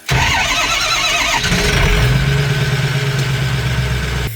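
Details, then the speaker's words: Strokestang diesel back at the shop after a turbo blew at Burnout Wars: brief lumpy cranking, then it fires and idles slightly off with an uneven low thrum; owner thinks the engine is hurt, uneven cranking suggesting compression loss. "I think it's hurt I really think it's hurt so listen to the compression"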